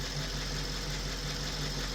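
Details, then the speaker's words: Audi S5 after serpentine belt replacement: smooth, steady low idle hum with an even beat; the loud high-pitched squeak from the worn belt pulley is gone, so the engine idles normally. "And everything's looking good. I don't hear that loud high pitch squeaking sound that was coming from our bed pulley."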